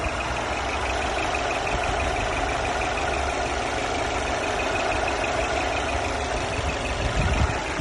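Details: Mercedes E350 Coupé at idle: thin, constant high whistle over the engine note from the engine bay, source unconfirmed; engine whistle.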